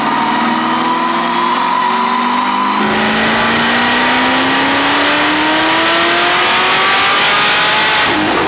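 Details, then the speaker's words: Whipple screw-supercharged Camaro on a dyno pull, pump gas, 13.5° timing, 965 at 18 psi: loud high whine climbing with revs. Normal Whipple blower noise. "It, like, as soon as we started it, we're like, what the f is that noise? And called Whipple, and they're like, yeah, it's normal."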